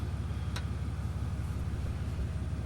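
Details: 3500 diesel pickup, first start after replacing the fuel filters and priming the lift pump: even, regular diesel clatter over a deep, steady rumble with no hunting or misfire. Clean, normal idle.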